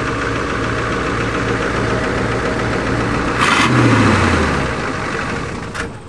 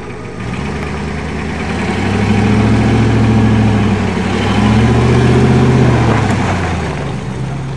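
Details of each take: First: Ford F-250 diesel, warmed up, restart attempt without glow plugs on only one battery: steady, laboured chug around three and a half turns a second that never catches; starter not cranking fast enough, owner suspects it needs lubricating after water exposure. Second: Ford F-250 diesel, not started for a year, bump-started by towing with a Dodge: steady, even diesel clatter at about four pulses a second, no knocks or misses; idling smoothly.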